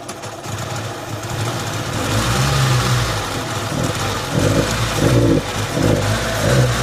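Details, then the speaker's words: Samsung Korean car (Filipino mechanic's customer car), hard start and no power: engine stumbles and surges unevenly with no clean pickup; misfire persisted after TPS/distributor adjustment and new plugs, weak fuel pump suspected, pump to be pulled. "kita mga idol no palado kaayo hard start"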